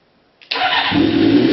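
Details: 1992 Kawasaki ZZR-600 (ZX600D), older bike, stock exhaust believed unmodified: catches almost instantly after a brief crank and settles into an even, steady run with no misses or knocks. Healthy start.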